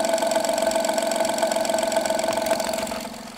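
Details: Honda Pilot III (2016) J30A9 engine, cold start idle: strong, fairly regular sharp knock around four per second, fully gone after 2–3 minutes of running, returns after 3–4 hours parked; mic on improvised probe; cause: failing timing belt tensioner.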